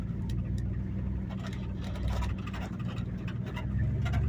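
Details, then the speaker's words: 1986 Dodge W150 with stock engine after a mechanical fuel pump replacement, road test: even low engine drone under road rumble, no misses or knocks, pulling smoothly, transmission shifting well; engine healthy. "All right. Sounds good. Transmission shifting good. believe we're good."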